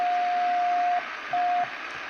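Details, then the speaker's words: Hallicrafters SX-140 receiver after alignment, signal generator coupled to antenna input via blocking capacitor, level run down toward about -130 dBm: clean steady ~700 Hz tone in bursts over soft hiss, still readable; good sensitivity. "And I can actually run this all the way down to almost minus 130 dBm is what I noticed in my measurements with my sensitive ear."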